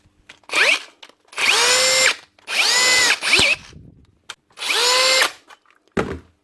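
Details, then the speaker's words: 2017 Hitachi DV18DBXL brushless cordless drill after trigger repair: repeated trigger pulls, motor whine rises smoothly through speeds and holds steady, no stutter or jumping; drill now healthy. "She's run smoothly up through the speeds as you pull the trigger. Shouldn't be jumping at all."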